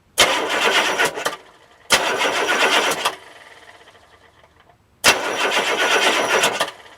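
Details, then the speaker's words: Diesel with glow plugs disconnected and the microphone under the starter: three short, sluggish, lethargic cranking bursts with no firing; slow cranking, owner suspects weak batteries or a starter needing to be opened up. "Pitiful. That sounds terrible. I think my starter needs to be opened up, or the batteries are weak. Something sounds really sick."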